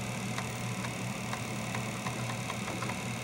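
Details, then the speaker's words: Commodore 1541 disk drive stepper motor driven from a 1541 diagnostic cartridge (F1/F3 step back and forth): crisp evenly spaced ticks about twice a second over a low hum; head stepping normally track by track on this drive, unlike the faulty drive, which reseating P7 seems to have fixed. "F 3 is stepping it forward so I have complete control of the stepper motor with this program here I'm just hitting F 3 and F 1 to move it backwards and forward"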